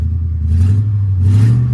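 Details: 2002 Mercedes-Benz S500 V8 salvage-auction car listed with mechanical damage, first running after starting-fluid attempt, service overdue 22 days; deep, even rumble with soft swells, no knocks or misses; idle sounds healthy, normal idle.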